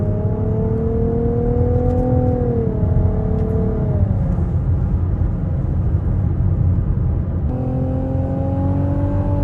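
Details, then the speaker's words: 2023 Nissan Rogue 1.5-liter four-cylinder turbo with CVT that simulates shifts: smooth whistle climbs in pitch as the engine pulls, dips on the shift, then winds up again; factory turbo spool noise, normal. "they have a 1.5 liter four-cylinder turbo so that's the where the noise is coming from you get you get Factory turbo noises in the Rogue"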